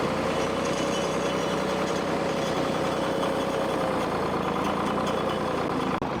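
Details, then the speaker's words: 1964 Lamborghini R2 diesel tractor idling after a no-start fix, once the run-dry fuel pump was primed and air bubbles bled out: a low, steady diesel hum holding even speed without stumbles or hunting. Normal smooth idle. "well that's all for today got this thing running and uh seems like it's humming along pretty good"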